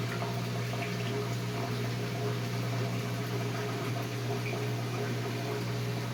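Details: Whirlpool Duet washer with long drain and door-locked error codes, drain pump running; low steady hum with water gurgling through the drain hose, no grinding or rattle, normal drain pump running.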